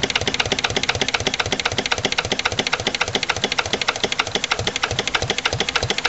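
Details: Lister LD1 single-cylinder diesel on a chilly morning, after a fuel filter change and bleeding. Sharp clatter beating about seven times a second while idling slowly and a bit unevenly. Owner suspects the injection system, possibly a missed bleeding step.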